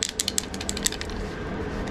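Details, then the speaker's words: Nissan Skyline R32 GTR heater climate control actuator, just disconnected, dirty and moist inside: quick run of sharp uneven metallic clicks, then dull steady whir; suspected struggling actuator, not supposed to make that noise; clicking actuator noise. "just disconnected it and that's a lot of more dirt and moisture and it doesn't sound the healthiest inside of there either"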